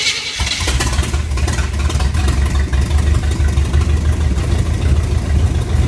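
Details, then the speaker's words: Chevy 350 small-block V8 swapped into a Suzuki Sidekick, on blocks and warmed to 140°F: deep, lumpy rumble with uneven pulses, rough running from incorrect ignition timing, also running rich. "I mean it ain't running great because of timing right but figure that out definitely running rich you can smell it"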